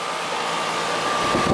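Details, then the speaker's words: Air conditioning unit after repair (found at 0 psi, refrigerant leak fixed, recharged, superheat reset), running and cooling: even fan whoosh with steady mid-pitched compressor hum, no rattles, squeals or cycling; normal running. "this one's running but she got Cooling at least you know something's going on it's working"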